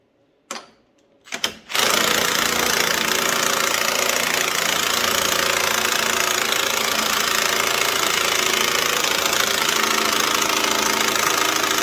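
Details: White Outdoor LT542G riding mower twin, with a new starter and repaired electrics, which had been running rough, using lots of gas and putting fuel in the oil: after cranking bursts it runs with an uneven, erratic beat. Rough, lean running from a missing carburetor main jet.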